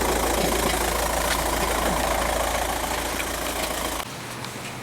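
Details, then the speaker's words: VW TDI diesel idling, heard from underneath the car: loose, uneven rattle over the clatter from a dual mass flywheel, later found badly twisted after transmission removal. "know how much you could hear that but that's a dual mass flywheel rattling"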